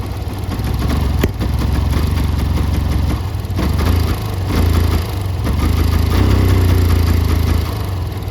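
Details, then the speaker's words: 2011 Yamaha FZ-16 push-started on second push after about 7 months unused; owner says something is wrong, not running properly, jumps like an auto-rickshaw; low loping idle swelling and sagging each second; rough idle. "എന്തോ ഒരു വിഷയങ്ങളുണ്ട്. Full മര്യാദ ഓടുന്നൊന്നുമില്ല. കൈ ആക്സിലേറ്ററൊന്നും കൊടുത്തിട്ട് വണ്ടി ഇങ്ങനെ ഒരുമാതിരി പെട്ടിയോട്ടോ പോകണ പോലെ ഇങ്ങനെ ചാടി നിൽക്കുക."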